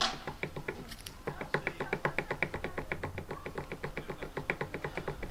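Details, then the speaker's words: Old water pump removed from Fiat 500 during cambelt job, spun by hand in a vice: rough, uneven rattling tick about four a second; bearing has play and is worn, likely after running dry and hot from a radiator leak; replaced with new pump. "there's some play there so it is shot let's get the new pump on"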